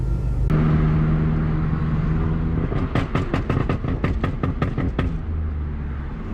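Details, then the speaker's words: Ford Focus ST running roughly with a couple of seconds of uneven sharp pops, misfiring and backfiring loudly. "i have this car kind of started misfiring and doing all these weird ass noises and backfiring and look really loud"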